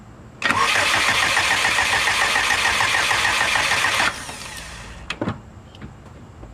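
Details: Subaru no-start: the starter churns evenly at about three and a half beats a second for four seconds without firing, after a new fuel-map value was burned in. Fuel pressure is present but dropping slightly; spark plugs are to be swapped next.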